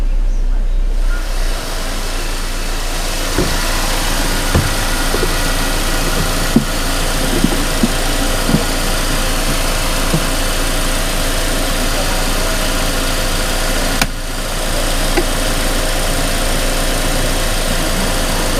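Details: Mercedes-Benz E250 CGI W212 M271 petrol on cold start, pending codes P2301/P2304/P2307/P2310, four coils already replaced: uneven idle with irregular thumps and stumbles in its low hum.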